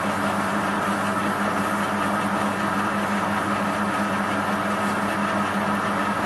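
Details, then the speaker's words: Waldown/Dumore tool post grinder on a lathe grinding a bronze bush internally, the wheel kept moving in and out: a steady, unbroken grinding hum with no rises or dips, showing even contact along the bore. "i think it should be pretty good you can hear by the sound that it was uh it even dried out"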